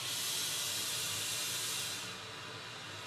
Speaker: Treble definitely works. Let's try Bass.